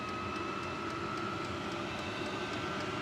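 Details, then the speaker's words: Diesel heater with quieter fuel pump, quieter muffler and sound-deadening foam, at power level 10: a steady even burner roar with only a faint light pump tick underneath. It runs healthy and quiet. "You can hear the pump a little bit, but it's nowhere like what it used to be."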